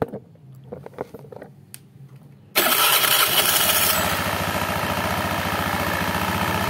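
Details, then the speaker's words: Honda Beat injection scooter just started, rattle worst after revving: busy idle with a fast, uneven rattling tick on top; worn CVT front drive pulley bore rattling. "nah itu kalau habis digas suaranya ender [Tepuk tangan] Jadi kalau habis digas suaranya kita akan mencoba perbaiki"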